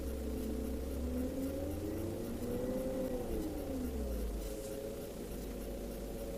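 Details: 1999–2001 BMW E38 AC compressor whine that rises and falls with rpm when the AC is on and is gone when it is off. The bearing is fine and the cause is low oil. Fix: evacuate, vacuum 15 min, add 10 g oil, recharge to 700 g.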